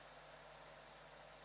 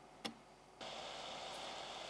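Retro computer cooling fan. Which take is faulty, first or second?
first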